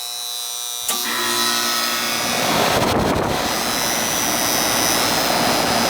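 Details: Goodman AC condenser after its bad, puffy run capacitor was replaced: silence, then the unit kicks on and winds up into a smooth, steady hum and whir. It starts and runs normally.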